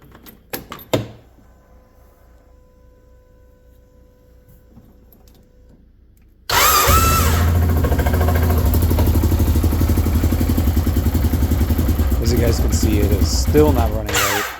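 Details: Wildcat 1000 side-by-side, first start after cylinder head and valve cover work: cranks, then lights off into a lumpy, uneven, hollow missing beat as if only one cylinder fires; misfire later traced to a rag left in the cylinder head and incorrect timing.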